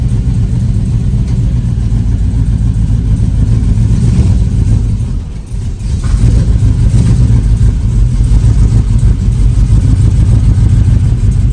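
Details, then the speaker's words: Project vehicle V8 with a new S10 master cylinder and Malibu booster; loud uneven loping idle with lumpy stumbling beat, missing on about three cylinders, hot-rod lope due to the misfire. "It's like missing on 3 cylinders and stuff still, but we do have brakes, and it starts and it goes into gear."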